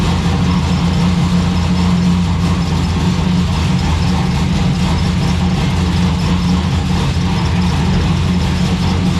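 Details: Turbo V6 Ecotec drift car, first runs after build: loud steady idle with tinny buzzing clatter over the drone; a loose part in the exhaust rattles, traced to the Y-pipe or rear exhaust section.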